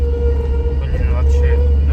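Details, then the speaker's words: 2007 GAZelle truck with a Chrysler 2.4 L 139 hp engine, turning while driving: a steady mid-pitched moan over the engine rumble, worse when cold; the power steering whines and the owner suspects the pump needs replacing. "повороте это прямо мурчание. Гура прямо выбешивает, честно сказать, руль."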